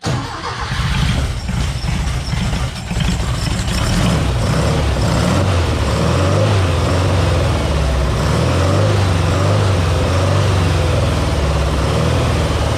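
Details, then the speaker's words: Green Porsche 914 with a newly installed 2-liter motor: steady, even low idle with no knocks or misses, sounding much better. Idle may be slightly low; idle or timing still to be set. "could be idle could be timing who knows sounded a lot better that time though"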